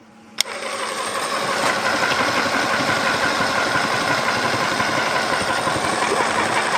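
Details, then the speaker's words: Chemical transfer pump unused about 12 years, flushing with a big container of water: a click, then the motor spins up to a steady whirr with gurgling water, pumping normally. "It's pumping all the water out. See? I tell you what, considering that hasn't been used in about 12 years, it's doing very, very well."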